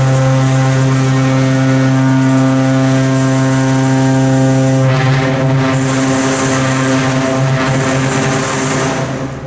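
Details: Original Montgomery hydraulic freight elevator, Santa Rosa Plaza, severely low on oil: loud, heavy droning hum with shaky vibration as the pump struggles before reaching the top floor.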